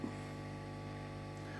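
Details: 1968 Twin amplifier while moving the ground wire around the chassis and transformer common point: constant low buzzy electrical hum, unchanging through the clip; grounding-related mains hum.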